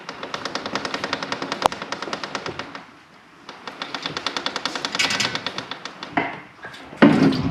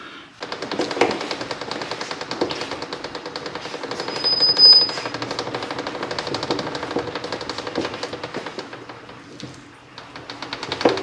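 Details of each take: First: 1972 Kawasaki H2 750 being rolled by hand: rapid even ticking, about nine a second, hitting the same place each turn; owner suspects the chain's master link is rubbing the chain guard, where a silver wear spot shows. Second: 1972 Kawasaki H2 750 rolled by hand through a full chain rotation after washers spaced the chain guard out about 1/16 inch: rapid, even chain clatter, no longer rubbing on the guard.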